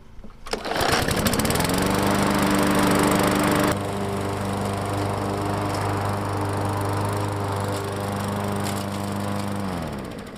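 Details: Lawnmower, just repaired, pulls over and catches, settles into a steady even drone, then winds down smoothly at shutoff; runs normally.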